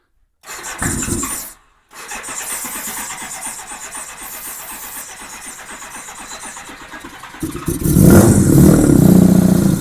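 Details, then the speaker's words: 1987 Honda GL1200 Goldwing, first start attempt after many years, cold engine in cold weather, choke lever not working: steady starter churn of about four beats a second runs on without catching. Extended cranking, no start while filling the carb bowls. "I see I don't have a choke cuz the choke lever is not working. If I did, it would probably make a big difference, but bike's cold and it's cold out here."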